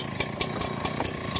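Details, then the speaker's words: Brand-new Echo 9010 two-stroke blower, not on choke, run on Echo Red Armor oil: idles unevenly, firing in loose, irregular pops as if about to die; the owner suspects it is defective. "I just don't understand how a blower can be brand new. Not on choke. And then it's just like it it don't want to work for real."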